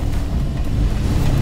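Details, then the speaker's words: Six-year-old Toyota FJ Cruiser, automatic, climbing snowy Webster Pass at about a 20-degree incline: low, uneven thumping over engine rumble as traction control brakes spinning wheels to distribute power. Normal traction control operation. "Let's see how the traction control is able to distribute power."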